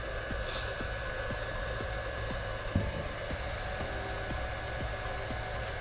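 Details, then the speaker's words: Bitmain PSU with its stock cooling fan, powering a Goldshell AE Box 2, before a Noctua fan swap. Constant loud whoosh and steady hum, measured at about 66 dB. Loud cooling fan noise. "You guys could probably hear this. It's probably uh a little bit louder than maybe what uh what you can hear with my voice right now"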